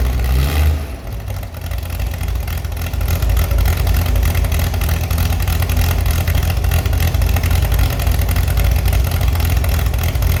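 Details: Chevy SS six-cylinder under restoration, after lowering the fuel level: picks up cleanly from a blip and holds a smooth, deep, even idle with no knocks or misses.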